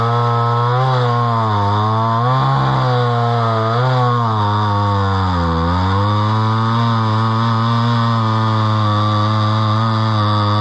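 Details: Homelite Super XL chainsaw bought at auction, about 50+ years old, 20-inch bar; high two-stroke buzz sags in pitch as the chain bites wood and recovers cleanly; runs strong with good power.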